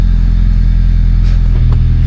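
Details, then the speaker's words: Honda Civic EJ9 hatch after swapping in a spare gearbox: in reverse, loud steady low drone with coarse rattle, as if gear grinding; release bearing also noisy; forward gears engage fine. "Yeah, it's turning, but it's making noise as if the gear's grinding."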